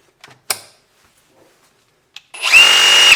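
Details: RIDGID 18V Octane brushless reciprocating saw R8643B on the 6.0Ah Hyper Octane Bluetooth battery: after some clicks, a brief smooth whir at one steady pitch; running normally.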